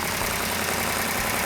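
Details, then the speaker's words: New V8 on initial startup, after a choke slamming shut was found to need adjusting: brief, fast, even burble at steady idle with no knocks or misses; no smoke, manifold paint not yet burned off; sounds good right away; normal idle. "Sounds good, right off the bat. That's not a pre-start, no gain."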